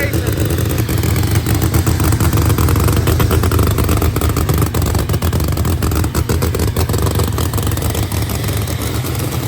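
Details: New Promod race engine, first fire-up after install: loud lumpy rumble with choppy exhaust beat, steady and strong; fresh engine firing and running cleanly.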